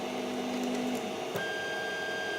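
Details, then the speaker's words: Creality CR-10S 3D printer homing after fitting steel-and-rubber NEMA 17 stepper motor vibration dampers: a soft, steady motor whir with brief pitched tones as the axes home, only faint buzz left. The zapping sound is largely gone, normal homing. "you still hear that but the Zap movement doesn't happen that much boom that's really awesome"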